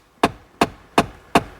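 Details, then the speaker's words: 2011 Ford F-150 4x4 3.7: after flywheel replacement, with the battery reconnected, sharp evenly spaced clicks, about two or three a second, from a faulty HVAC blend door actuator cycling. "so he's got a m door door actuator blend door actuator problem you can hear it clicking now that I reconnected the battery"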